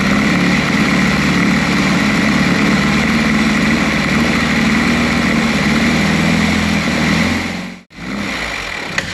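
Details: Triumph Spitfire, recently fitted with new calipers. Spark was confirmed and it was given a little help before cranking. After a brief drop-out it picks up and runs with an even, steady beat. A clean start.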